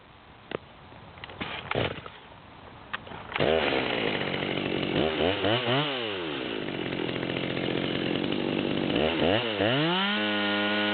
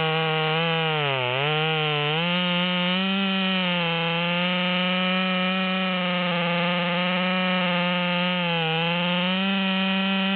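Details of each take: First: Nearly brand-new Stihl MS200T chainsaw with 25-inch bar, high-speed screw backed out to the stop: revs up and wavers at top speed with a burbling high-idle miss, running rich and four-stroking. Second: Ported Stihl MS200T with a 25-inch 3/8 bar, after a carburettor adjustment: a high, strong two-stroke howl dips briefly as the chain bites, then pulls right back up; cuts cleanly at full power.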